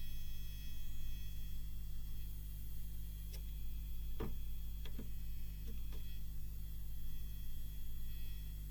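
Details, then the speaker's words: Seiki SE40FO04UK LED TV: constant low mains buzz with light pencil taps on the main AV board, possibly the transformer vibrating; damping it with Blu-Tack did not stop the buzz. "well I don't think it was a success I could still hear the buzz"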